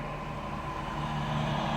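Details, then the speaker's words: Nissan Sentra at 131,300 km, previously misfiring with check-engine light on, after repair: cold engine idling slightly fast but normal, expected to drop as it warms; steady even hum, no misses or knocks. "ele tá frio um pouco tá um pouquinho alta a rotação mas é normal daqui a pouco a baixa"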